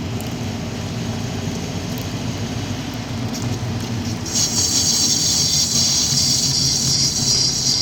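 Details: Subaru WRX: rolling noise, then a steady high-pitched squeal holds, occurring only when turning right without braking, from the left rear corner; rear brake squeal, cause unknown.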